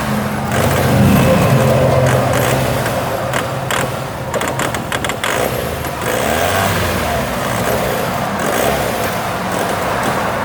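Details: Vauxhall Omega engine idling and revving: uneven stumbling beat with irregular puffs in the note; misfire, cause not yet found.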